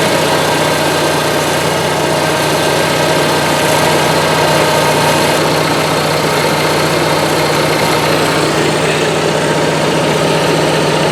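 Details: Onan Marquis 5500 RV generator (1998 Bounder motorhome, 20+ years old, 60 hours) after carburetor rebuild, running on gas from a can, not drawing from the tank; catches after a few cranks, settles to steady even run; normal idle.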